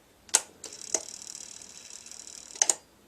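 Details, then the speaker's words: B&O Beocenter 2200 cassette deck bought at boot sale, first power-up: sharp clicks, thin whir about two seconds then cuts out; rewind/fast-forward stops after a second, play does nothing. Belts thought okay; cause unconfirmed. "interesting that a lot a rewind and fast-forward should you probably think that the little rewind and fast-forward though it does stop after a second but the belts must be all right"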